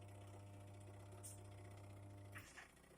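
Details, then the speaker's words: Twin-tub washing machine: a steady low mains hum for over two seconds with no spin-up. The spin-dryer motor turns but the wash motor only hums and won't spin, even with the knob at 5; a failed capacitor is suspected. "यह पहले से चल रहा है लेकिन यह स्पिन नहीं करता है"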